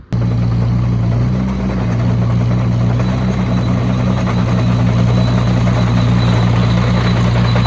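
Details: Oliver Cletrac OC3 crawler with a freshly broken-in engine, warm after a loaded truck-drag run: a steady, even low drone with a smooth firing beat and no knocks or rattles, no load. Normal running.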